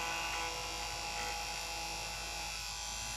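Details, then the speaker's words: Marui Big Bear R/C monster truck motor run on a power supply after oiling its bearings: a steady, high, even whir with no rattle or scraping, clearly smoother than before. "and you can hear what a difference that makes already"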